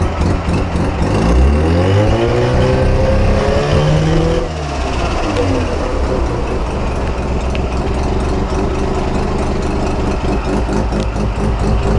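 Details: Mazda RX-7 FC with a bridgeported rotary engine revs briefly, then idles with a light, steady clicking over the lumpy rumble; the clicking seems to come from the engine bay and its cause is unknown.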